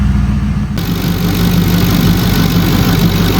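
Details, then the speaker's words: Mercury Grand Marquis 4.6L V8 idling after replacing leaking intake manifold: steady, smooth low rumble with even firing, no knocks or misses. "that thing purring LIKE A KITTEN."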